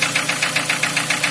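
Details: 2003 Nissan Wingroad QG18DE petrol, automatic, AWD, cold start idle, oil pressure 3.5–4 bar; sharp regular ticking knock about seven times a second, steady, internal knock heard near cylinder 4.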